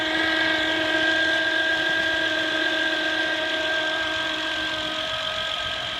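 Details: 2008 Honda Accord EX-L V6: constant high electrical whine rides over a quiet idle and holds its pitch; a bad diode in the alternator causes it.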